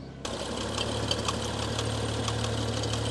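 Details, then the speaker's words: Stage 2 remapped 2016 BMW M135i at steady idle after engine failure at a car meet: fast, uneven metallic ticking and hard knocking from the whole engine, top or bottom end unclear; owner suspects bent camshafts, cams seen not spinning right. "it just sounds like the whole engine I can't tell if it's the top end or the bottom end I can't tell at all so guys I can't tell what it is the whole engine is making the noise"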